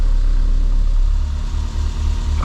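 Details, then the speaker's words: 1990 Renault 5 1.4 CAT, C3J engine with Monopoint injection, after injector and distributor cap replacement (previously stalled and stumbled when warm), idle control motor missing: steady, even low rumble with no misses; normal running. "assez de vitesse, ça fonctionne bien"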